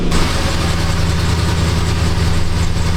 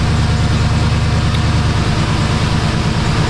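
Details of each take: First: 2006–2007 Jeep Grand Cherokee 4.7 V8 idling with engine light: rough lopey exhaust beat with uneven pulses, a dead miss; codes P0304 and O2 sensor 1 circuit high, live data shows cylinder 4 misfiring, new coil already fitted. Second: 2006–07 Jeep Grand Cherokee 4.7 V8 restarted after repair, previously misfiring with a badly fouled plug: low, steady, even idle with no stumbles or knocks while warming up; running smoothly, a few misfire counts seen.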